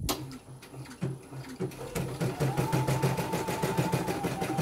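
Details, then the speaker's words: Embroidery machine after rotary hook installation and adjustment, test-stitching a logo: quick even needle chatter about three stitches a second, steady with no knocks or grinding; runs normally and is ready to return. "jalan langsung normal. Ini siap dikirim kembali ke kampungnya."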